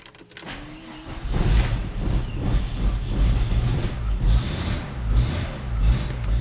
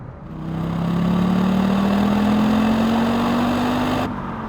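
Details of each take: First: Audi Quattro after fuel pump replacement with new 1/4 in 300 PSI fuel hose, cranking repeatedly without starting: steady low starter churn with uneven beat and no catch; flooded engine, fuel pump keeps pumping more gas into the cylinder. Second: Audi Quattro driven hard after fuel pump replacement, before a rally road trip: smooth, even engine hum climbing gently in pitch with revs, no knocks or misses; pump holding, no leaks, healthy running.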